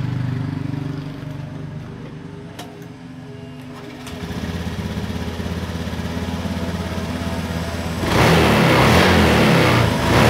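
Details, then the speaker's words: Honda Beat FI scooter, idle unstable after a service, rising and falling, suspected IACV sensor error: idle pulses, then surges up after a few seconds instead of holding; hunting idle. "Intinya kelangsaman gas pada motor Beat ini habis diservis malah terkadang stasionernya naik dan juga terkadang turun. Nah, intinya kurang stabil."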